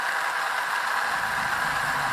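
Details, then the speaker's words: Pump flushing a clogged well feeding a heat pump, with muddy red water coming out: steady, harsh hissing rush with no water load as the pump draws the well dry and sucks air; it must be switched off and refilled. "He pumped out all the water again! Gotta turn it off!"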